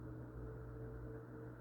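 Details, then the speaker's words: Newly installed Ventisol Fenix 3-blade ceiling fan, wall-switch controlled, at medium speed in fan mode: quiet, steady low hum with no wobble or rattle; runs smooth and silent. "Mas tá vendo aí, ó? Nem tá balançando. Bem silencioso o ventilador."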